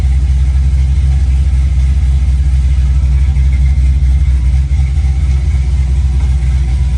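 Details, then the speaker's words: 1965 Chevy Nova at first start-up after a rebuild, with a new cam and headers, in park, warming up: deep, even lope at about four beats a second, the choppy idle of a big cam, sounding healthy. Normal lopey cammed idle. "Dude, it's got a little chop. It's a lot chocolate. I'm glad you put the cam in, actually. Sounds good."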